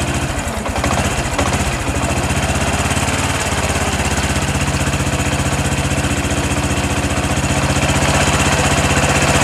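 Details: Honda Supra X 125 PGM-FI with ignition-switch fault, battery 11.5 V, testing with regulator/rectifier bypass: small single catches briefly then a steady, even putter about four beats a second; normal healthy idle.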